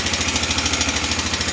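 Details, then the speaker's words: 2003–2005 Honda Rincon 650 ATV, first start after a wreck, jump-started: quick, even tapping over the single-cylinder idle, growing louder; owner suspects valve adjustment or timing chain; engine tapping noise. "As you can hear, it started up pretty good. Definitely has a noise in the engine. Hear it kind of getting louder."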